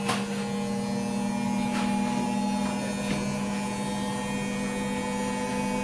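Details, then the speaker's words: Beko/Condor EV7103 front-loader after its door-closing fault was repaired, spinning the clothes dry: a steady, even low drum-motor hum with only occasional light clicks, so the spin cycle is normal. "আমরা ফিটিংয়ে গেলাম, আজ আমাদের spring হচ্ছে আর কি, কাপড় শুকাচ্ছে।"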